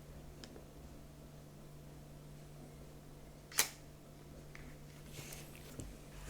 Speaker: So now I have to park the mirror in the up position, and you do that in the settings.